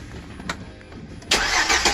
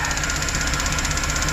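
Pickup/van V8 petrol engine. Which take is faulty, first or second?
second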